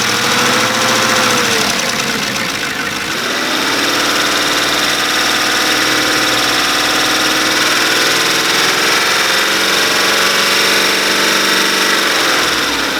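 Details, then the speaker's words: 2014 Chevy Silverado 5.3L after AFM/DOD delete, first start after engine reinstall: loud fast regular ticking about four per second over steady idle, like failed AFM lifters; didn't clear after driving, lifter fault suspected. "as we all know the afm lifters are very prone to failure and when they fail it sounds exactly like my truck sounds right now"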